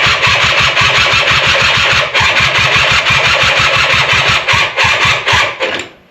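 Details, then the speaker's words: Polaris quad, possibly a 250, a project machine. The battery has power since the horn works, and the carb is untouched. The starter churns the engine in quick, even strokes for about six seconds without firing. Cranks but won't start; owner plans to remove the airbox to help it. "but I do think I'm going to have to do the thing I don't want to do and take the airbox off so we CAN can help it out a little bit because um it ain't starting itself."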